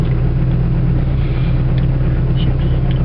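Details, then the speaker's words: 1969 Saab 96, rebuilt motor with new clutch and pressure plate: deep, even low rumble holding steady with no misses, knocks or hunting; strong idle. "got a very strong idle I didn't do a compression test recently but I know it's it's got a lot of power"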